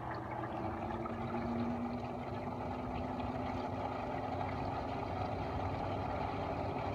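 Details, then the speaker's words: LG window air conditioner running in fan mode after startup; even low fan drone with faint tone and soft watery swishing of leftover water, owner thinks in the condenser; normal fan running with water slosh. "i don't know why there's some remaining water you could listen i think the water is into the condenser or i don't know what though"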